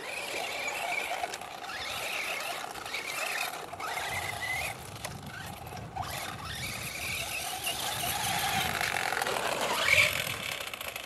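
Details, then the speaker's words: Traxxas Slash 4x4 RC with 1/8 buggy tires and lockups, bashing on gravel: whining squeal rising and falling with throttle, rough growl underneath from the center/mid bearing needing replacement. "I got to put in the correct bearing I mean or a better you know better bearing in the mid here cuz you can just hear the thing growling"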